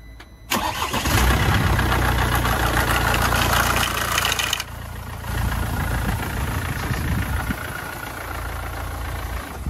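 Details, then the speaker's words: Mercedes diesel morning cold start: loud harsh metallic rattle for first few seconds, then quieter idle; stretched timing chain, engine going into workshop for chain replacement. "on this car the first few seconds the engine is very very noisy and then it quiets down this is a timing chain symptom"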